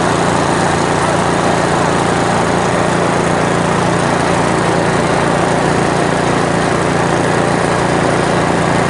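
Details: 1970s Briggs and Stratton generator engine, single cylinder, run before its carburetor is cleaned: steady, even buzzing with no misses or knocks; runs fine under no load.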